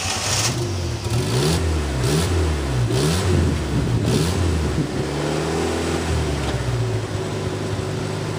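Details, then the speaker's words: 1988 Yugo GV after restoration, engine and transmission back in, about 95% of vacuum lines reconnected, starter replacement pending: cranks and fires, revs blip up and down, then settles into an even idle; starts and runs normally. "it's alive the engine's in the trans is in about 95 percent of the vacuum lines are hooked back up and it runs"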